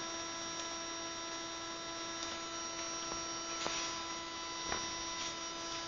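A steady, unchanging electrical buzz with a high whiny edge drones on. The console has locked up and is looping a buzz.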